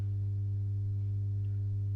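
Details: Masco M25N valve amp, poorly re-capped, on current limiter with bulbs only dimly lit, not drawing excessive current: steady loud low buzzy hum, no signal; mains hum from insufficient filter capacitance.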